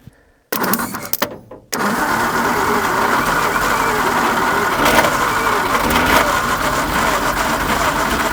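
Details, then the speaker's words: 1950 Nash Statesman engine, unrun for 23 years, cranked on a 12-volt battery with a little gas poured down the carburetor throat: a few cranking bursts, then it catches and settles into a steady run on the prime; engine starts and runs. "That is sounding promising. We got her. Here runs."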